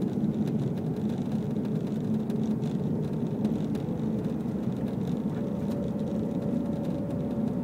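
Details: Subaru STI, 100% stock, while driving: steady low hum under road noise, with a faint higher tone joining partway through; source unknown.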